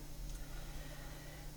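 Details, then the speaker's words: 1988 Whirlpool ADO302XS dehumidifier, 22 years old, with a Magnatech Universal Electric 1550 rpm fan motor, still holding refrigerant: quiet, steady, unbroken low hum from the compressor with no knocks or rattles; normal compressor running. "It's 22 years old. It works perfectly. It didn't lose refrigerant like that piece of shit grade is the worst. So there's your compressor."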